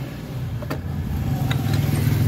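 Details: Honda Scoopy carburetor scooter idling with both CVT pulleys removed to isolate the noise: rough, low, robot-like rumbling idle with a few sharp knocks, pointing to worn crankshaft bearings.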